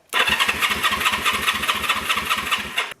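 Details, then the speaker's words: Two 1974 Honda CB360s, vintage bike: starter spins the engine briskly in even pulses for about three seconds but it never catches; crank, no start with no spark, one switch found off and a switch feels faulty. "now i don't think we have any spark i noticed one switch was off maybe that'll make a difference not sure let's try it"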